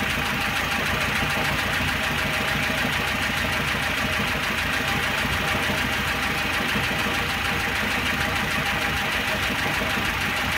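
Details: Fully warmed 1.6 engine, after sitting a day and a half, with a fast steady top-end clatter over the idle and the oil pressure light flickering when hot: camshaft knock from a badly worn camshaft and its bearing bores.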